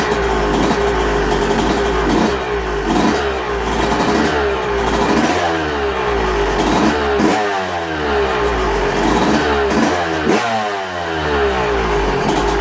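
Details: Yamaha YZ125 two-stroke warming up after fitting new V-Force reed petals; crisp blips rising and falling cleanly, each rev picking up smoothly and dropping back without stumbling; runs clean.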